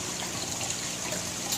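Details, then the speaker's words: Aquarium overflow after tuning to stop siphon noise; gentle steady trickle, no gurgling or siphon surges, much quieter though not silent: running normally. "it's not nearly as loud but I can still hear that hopefully that picks up on the camera you know that's much much better but it's not silent or closer to being silent"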